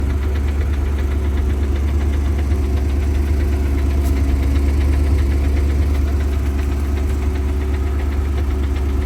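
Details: Porsche 928 at steady idle with a fast, regular light click about three times a second from the transmission; noise goes away with the clutch held down and in some gears; cause unknown.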